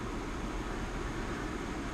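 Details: Mitsubishi Outlander PHEV after a 15 A charge to about 99.7%, with a battery that no longer holds charge: an even whoosh over a low hum as the A/C and fan cool the battery, fan at 47%, about 750 W, 30 °C ambient. Normal operation.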